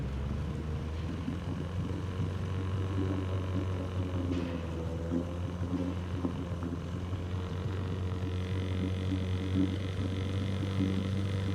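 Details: Outboard on an abandoned jon boat, sat over winter and unknown if it ran, first start attempt in water: low, even hum at steady speed, no missing or knocking; runs healthy, better than expected.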